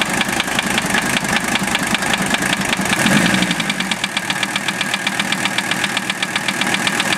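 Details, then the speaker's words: Mercedes OM617 diesel swapped into a Toyota, warmed 2-3 minutes at idle; sharp rapid metallic knock several per second, unchanged by valve adjustment or cracking injectors, seems to follow rpm; owner suspects piston/connecting rod area, not confirmed. "It always runs a little rough when I first start it, but I hear the noise pretty easily now."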